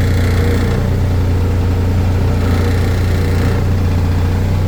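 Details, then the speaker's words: Toyota MR2 Spyder with K20 engine and current K20 oil pump: low, heavy droning idle with thrumming shake, door panels and glove box rattling around 900 rpm; rough idle vibration, owner blames oil pump, eased by raising idle to 1,000–1,050 rpm. "the current K20 oil pump in this car it is giving me a whole lot of vibration so right here you can hear it you can feel it"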